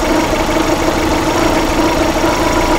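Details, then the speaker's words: 2006 Suzuki Forenza waste-spark coil assembly with weak spark from one coil; back-probing with a test light steals current and makes the cylinder miss, so idle stumbles with skipped beats. "Actually made it miss with my test light in there. And the reason behind that is I'm stealing some of the current to light my test light, and that spark is weak to begin with."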